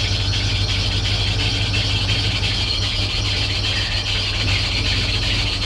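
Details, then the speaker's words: High-mileage Chevrolet (266,736 miles) at auction, just started: rough idle with scratchy high squeal over engine note that doesn't stop with AC on; sounds like worn, slipping accessory belt. "Oh, that sounds like crap. That sounds awful. Hopefully that goes away."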